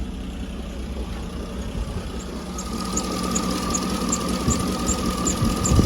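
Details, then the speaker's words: 2009 Cadillac Escalade V8 warming at idle after oil pickup tube replacement, oil pressure 39-40 psi (was 19-20): steady idle with only a faint even light clicking, no lifter tick; healthy. "so I'm just going to let it get up the temperature sounds good other than that little"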